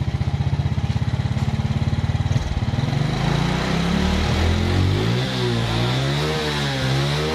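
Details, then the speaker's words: Suzuki Smash motorcycle just fitted with a new battery, kick-started rather than electric-started: quick, even single-cylinder putter, revs climbing and falling cleanly with no misfire or stumble; running properly. "oke mantap Saya yakin ini saya yakin bagus ya ini ya"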